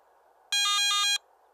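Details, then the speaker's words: Garrett ATX metal detector low battery warning: a single brief, bright warbling electronic alarm over faint hiss, sounding every 60 seconds with a flashing yellow LED when about 30 minutes of battery life remain. "during operation the yellow low battery warning light will begin flashing when there's approximately 30 minutes of battery life remaining in addition to the flashing LED a brief audio alarm will sound every 60 seconds"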